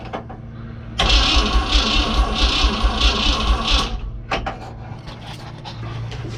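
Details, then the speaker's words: 1972 Chevrolet C30 short-bed dually, 292 inline-six first start, fuel system not yet connected: steady starter churn about two turns a second for three seconds, no firing; cranks but no fuel supply. "it's powered up it cranks I have not checked to make sure that I have power to my distributor"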